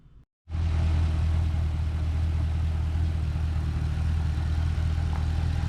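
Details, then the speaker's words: 2012 Camaro SS LS3, about 160k miles, after replacing all lifters to cure an idle squeak caused by a bad lifter; warmed up while burping coolant: smooth even low idle, steady rumble, no top-end ticking or squeak. "so it looks like it was a success replaced all all the lifters just fired it up got up the temp burping the coolant system still haven't took it for a ride yet but it's night and day"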